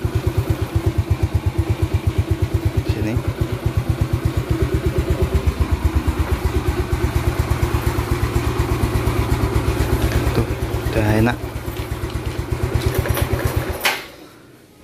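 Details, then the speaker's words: 2009 Yamaha Mio Smile scooter at the end of a restoration, said to sound light: quick, even putter at steady idle for about fourteen seconds, no knocks or rattles, then shut off; normal idle. "Well, the sound is light, friends, yes, this is the"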